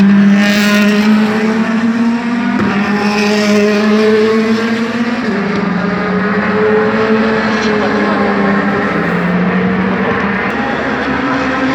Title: DTM 2017 V8 Misfireing